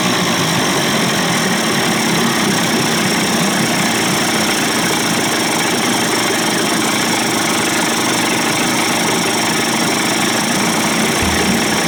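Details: Johnson/Evinrude 25 to 35 hp two-stroke outboard conversion after low-speed timing sync and fuel pump swap, idle deliberately set slightly high; fast, steady buzz with a crisp even beat, no misses or knocks; healthy.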